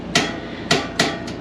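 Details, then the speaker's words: 2014 Winnebago Minnie Winnie 331K Class C RV propane stove eye: three or four sharp igniter snaps spaced irregularly under a second, then the burner lights right up; normal spark ignition. "So stove eye, lights, and that one lit right up."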